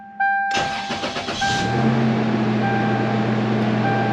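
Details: 1999 Toyota Tacoma 3.4L V6 after replacing AC idler pulley and all three belts, previously squealed at startup: starter cranks about a second, engine catches into steady fast idle with no belt squeal; normal cold start.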